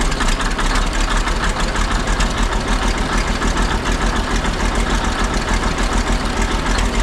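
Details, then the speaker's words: Ex-military 1959 International dozer, left at a scrap yard for months, on fresh batteries: after running a couple of minutes the smoke cleared. Heavy, steady diesel idle with an even low chug about three beats a second, no knocks or misses; sounds healthy. "Well, after it ran for a couple minutes, the smoke sort of cleared up. The engine actually sounds pretty healthy."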